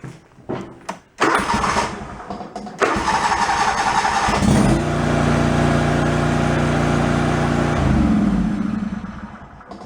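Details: Yard-sale John Deere mower with new fuel pump, cold start without choke: a few cranks, then catches and settles into smooth, even idle with no stumbling or flooding; flooding cured for now.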